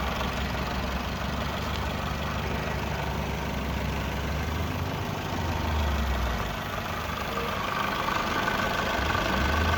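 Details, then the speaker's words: Japanese contract 2004 Toyota Vitz SCP10 1SZ-FE engine, automatic, 2WD, checked in Japan before dismantling: smooth, even idle with a steady low hum, no knocks or misses, and no smoke; runs cleanly and healthy. "Двигатель работает ровно. Газ не"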